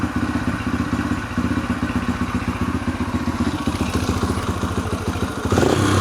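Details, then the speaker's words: 2004 Yamaha TTR125L after rebuilt carburetor, air-fuel mixture screw backed out and high idle screw lowered: steady, even, crisp single-cylinder idle, no hunting; sounds much better, choke off, fuel about a year old. "sounds a lot better."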